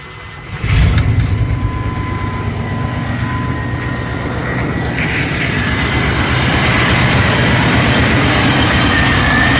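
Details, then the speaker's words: Chevy TBI engine (about 1993–95) after distributor replacement, timing connector disconnected: brief crank, then it catches and settles into a steady, even cold idle with no misfire or knock; needs warm-up before setting timing. "well it's run and i gotta let it warm up so i can get it time"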